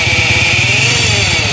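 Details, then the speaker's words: 100cc motorcycle at idle: a high, steady whirring hum starts inside the engine when the clutch is pressed and disappears when it is released. "जैसे ही हम clutch को press करते हैं तो आवाज गूंज हमारी शुरू हो जाती है और जैसे ही हमें दोस्तों क्लच को छोड़ते हैं तो हमारी आवाज गायब हो जाती है"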